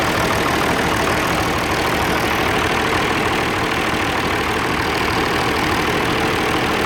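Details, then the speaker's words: Old Oliver 1550 diesel tractor idling after valve adjustment: rough, loping idle as one cylinder drops out; smoke and no heat at number one, valves working, number one injector to be pulled again. "yeah the smoke and the lack of heat in number one I guess I'll pull that one back out and check it again"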